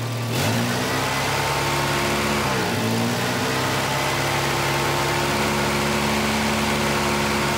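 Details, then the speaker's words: 1985 Volvo 240, LH2.2 injection (B230F-family engine): with the idle air control motor's blue/white wire grounded, the motor works, yet the engine holds a steady fast idle with no dips; high idle from a faulty/sticking idle air control valve, later swapped for a cleaned OEM one. "right now I've grounded the idle air control motor with that blue and white wire don't ground the red wire don't mess with that just the the blue one so it shows you that the motor is working but why am I getting a high idle"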